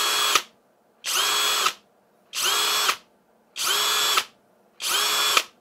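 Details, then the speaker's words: Parkside Performance PBSPA 12 C3 12V cordless drill in second gear (~1750 rpm): five bursts of high motor whine, each ending in a quick internal knock as the electric brake stops it within a fraction of a second on trigger release. Normal behaviour; absent in first gear at lower rpm. "To je znači sasvim normalan zvuk. Nemojte da vas brine ništa, u prvoj brzini toga nema jer je to manji broj obrtaja."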